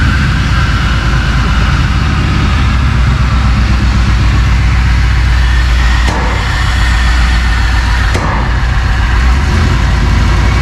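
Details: 1999 Vortec 454 7.4 L big-block V8 freshly swapped into a 1985 Chevrolet C10, first start with oil and antifreeze filled: steady, deep, even V8 burble with no knocks, misses or ticks; normal idle.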